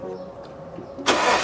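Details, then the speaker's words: 2008 Lexus GS460 with a misaligned serpentine belt tensioner pulley. Cranks and catches with a sharp high chirp over the start. Serpentine belt squeal caused by the pulley misalignment. "it does squeak quite a bit if anything i'll turn on the car so you guys can hear how it sounds and it's pretty bad"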